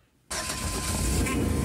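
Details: 1997 GMC Safari that cranked but would not start when cold, after replacing the crankshaft position sensor and ignition coil. Cold start: cranks briefly, catches promptly and settles into a steady, even run with no misfire. Healthy start.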